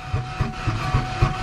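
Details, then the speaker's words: Ford Ranger winter beater found with no coolant, possibly mud-bogged and hydrolocked, started on a fully charged battery with starting spray: slow, uneven thumps about four a second with gaps between firings; very rough running, cause unconfirmed. "does not sound good come on baby it uh it sounds very odd sounds like a uh like a machine off of Dr Seuss"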